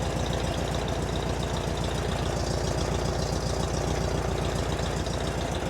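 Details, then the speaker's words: Engine idling after an oil change with 3.5 quarts of 20W-50, about 8 oz zinc additive and a CB Performance filter, no leaks, oil light out: steady, even low pulse with no knocks or ticks. Normal idle. "Still a little exhausting. seems happy."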